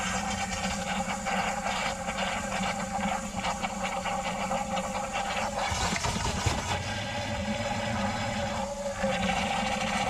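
Steady rushing hiss of water with gurgling swirls and no backing up; the drain is draining freely now.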